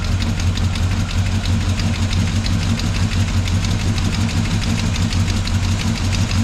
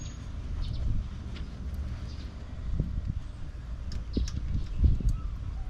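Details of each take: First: Chevrolet Monte Carlo at idle: fast light tick about three per second from valve train; a knock on a lobe found as the source, valves being adjusted to quiet it. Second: Monte Carlo V8 idling after valve lash adjustment, which fixed a tapping noise; it had previously idled at about 1,300 rpm. Now a deep, even rumble with no ticking, and the valvetrain sounds quiet and healthy.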